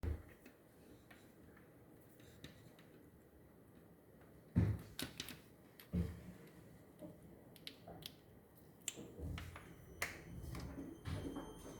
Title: Hiseeu camera problem with strange noise